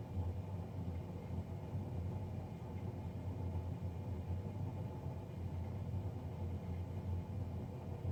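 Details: Navien NCB-240 boiler, serviced Jan 31 2020 and recorded Feb 3 2020: loud steady low roar with an even hum, no knocks or rattles; combustion fan noticeably louder than it should be, cause suspected but not confirmed.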